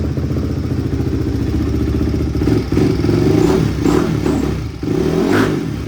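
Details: Barn-find Honda CRF single-cylinder after new chain, sprocket, OEM spark plug, rebuilt carb and adjusted valves; crisp bark through several throttle blips, picking up cleanly, some chain and body clatter, no misfire or smoke; normal running.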